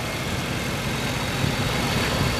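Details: 1989 Chevrolet Caprice Brougham LS: steady, even low rumble with no knocks, misses or ticks; big petrol engine settling into a smooth, healthy idle.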